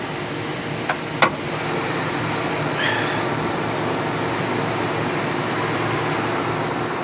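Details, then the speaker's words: Audi Q5 Quattro salvage auction car, engine under the hood idling: a couple of sharp clicks, then an even, steady idle with no knocks or misses; sounds healthy. "I'm gonna assume it's a 5-3 sounds great"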